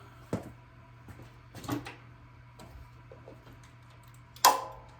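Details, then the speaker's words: Cub Cadet mower PTO clutch after bearing replacement, bearing pressed less deep to close the plate gap: one sharp solid clack as the clutch engages over a low steady hum, no brake drag; engagement firm and normal. "That sounds a lot more positive."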